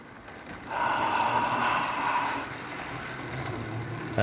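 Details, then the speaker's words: Model train Leon chassis with medium-sized magnets, motor test only: thin steady motor whine rising about two seconds at even pitch, no rattle or stutter; pretty smooth, one small bump, unsure if engine or track. "That's pretty smooth. Got a little bump there. I'll check out what that is. I don't know if it's the engine or the track."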